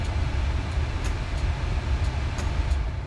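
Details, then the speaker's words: 2009 Ford Escape blower motor after blower resistor replacement, previously worked only on high; now a strong steady rush of air with an even hum at speed 3 and high, no grinding or chirp; healthy. "Now let's check our speed. You can hear it blowing. 3, high."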